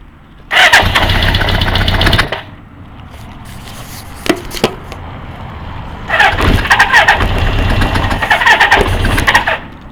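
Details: Kawasaki GPZ550 four-cylinder idling after a head gasket replacement and rocker timing adjustment: a fast, light clacking over the exhaust beat. The cam chain is tight, so the owner doubts the tensioner. Cause unknown; engine ticking noise.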